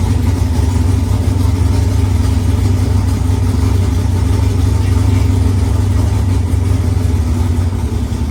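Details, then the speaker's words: Firebird with newly installed engine, first start after priming, temporary fuel lines: loud V8 running lumpy and uneven, revs wandering, backfiring a lot; runs rough, not yet tuned. "well guys that was it man the firebird runs it doesn't run great it was backfiring a lot but it runs nonetheless"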